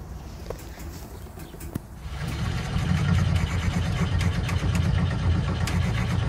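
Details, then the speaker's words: 1968 VW Bus just after its carburetor was reinstalled: cranking clicks, then a rising low rumble for a few seconds that won't keep running. Accelerator pump or a replaced float-related part suspected. "It's accelerator pump. It doesn't seem to be acting right, or and I'm just hoping it has nothing to do with that stupid float thing."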